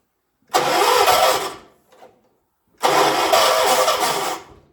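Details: 1976 John Deere 300, hard start: two long cranking bursts of about a second and a half each, with no catch; the engine cranks but won't fire. A second jumper pack is being fetched.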